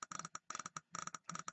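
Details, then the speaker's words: Mercury inline-six outboard trigger and coil bench test with the trigger assembly well grounded: crisp, sharp snaps in quick bursts, a strong consistent spark. "so we're going to give it juice if you can hear it it's sparking"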